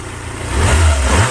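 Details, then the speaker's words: Ford Sierra Cosworth 2WD, warmed up, on its standard exhaust system: one quick throttle blip, with revs rising cleanly and dropping smoothly back to idle; lively and responsive with no tapping. "quite lively for a big principle i'm loving the standard exhaust system that i found"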